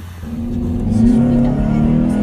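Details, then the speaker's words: 2006–2007 Honda Accord sedan, 2.4L inline-4, just after installing an eBay short ram intake: starts up and revs climb smoothly with a rising hollow drone and airy intake suck, no misses or rattles; normal intake noise, sounds healthy. "instantly starting off the car you can hear the intake sucking in air that's so cool oh my god"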